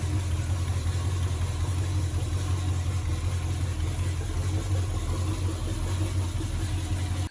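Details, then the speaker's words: 1951 Chevrolet truck with Chevy 350 small-block V8, first start after a working distributor was fitted: deep idle that lopes and wavers unevenly; ignition timing not yet set (planned about 12° BTDC). "first thing is i'm going to get the timing set"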